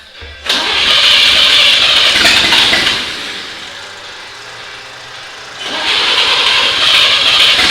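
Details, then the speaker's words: 1939 GMC COE 4x4 after repairs: mostly updraft carburettor fuel delivery, plus wet spark plugs cleared and a minor valve adjustment, with timing and plug wires found good; it catches after a few cranks and runs steady and even. "it was mostly fuel delivery issue there with that updraft carb so got that all sorte"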